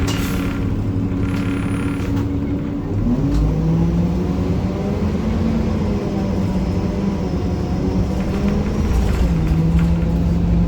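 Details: 1993 Gillig Phantom 35' bus, Cummins ISM engine, Allison B400R transmission, onboard: constant low rumbling grind under engine drone, rising and falling with road speed; loud grinding noise, owner suspects transmission, unconfirmed.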